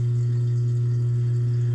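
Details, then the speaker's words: GE GDF520PSF6SS dishwasher drain pump after repair. It had ground when the broken top sprayer melted on the heater and a plastic chunk jammed it. Now a steady, even low hum, no crunching; spinning freely and draining normally. "oh that's amazing all right it is pumping and it is not [Music] crunching"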